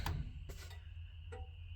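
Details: 1940 Chevy coupe with a newly installed wiring harness, key on: crisp, evenly spaced flasher relay clicks about every half second over a quiet hum; flasher cycling normally, though one front lamp was later found not lighting.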